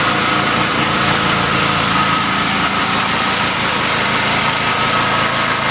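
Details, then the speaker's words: Generator engine shut down yesterday spewing oil, restarted and switched onto electrical load; holds a steady, even drone with no obvious surging; oil and air filters look fine, failure cause unclear, compression test considered. "you can hear the engine is under ventilate okay so we're up there run for a while and see what happens"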